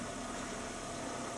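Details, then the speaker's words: Toyota Estima, right-hand drive, idling after decarbonisation and repair of the knock the owner complained of. Quiet, even idle with a smooth low hum and no rattle or tapping. Now runs like a normal Toyota. "она хоть работает как нормальная машина вас послушайте как нормальная тойота звучит"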